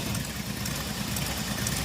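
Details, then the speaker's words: Jeep six-cylinder EFI after owner's repairs: lumpy, stumbling idle with irregular low thumps, running on four of six cylinders, worse than before, cannot take throttle; misfire later traced to a fried PCM. "This is the current state. Same as it was. Four out of six cylinders. shaking and missing and it is objectively worse. It cannot take any throttle input at all."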